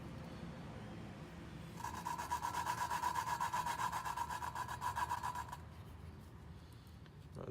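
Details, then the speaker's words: Lapping a 2JZ VVTi cylinder head valve by hand with lapping tool and compound: gritty back-and-forth rasp about four strokes a second; coarse compound still cutting the seat, pitch changes as it smooths, then valve is turned and regrinds. "because you can hear the sound is changing start grinding anymore or doesn't sound as course I should say then you lift it up turn a little bit and then you get that grind sound again keep going at it"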